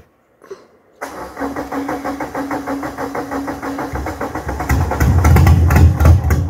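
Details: Peugeot 106 with 1.6 90 hp NFZ cast-iron engine, not run for months, after fuel pump rebuild and fixing a harness conflict with the original 1.4 NFX cabin wiring: short crank, catches, steady even idle, rising revs, no misses.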